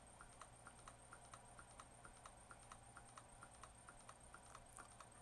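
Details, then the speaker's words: Waterpik SF-03C/SF-03W pump motor powered directly from a bench supply at 1.6–2.1 volts: quiet, even ticking about twice a second over a faint hum; motor runs normally. "we're at 1.6 Vols 2.1 Vols the motor is running perfectly drawing 33"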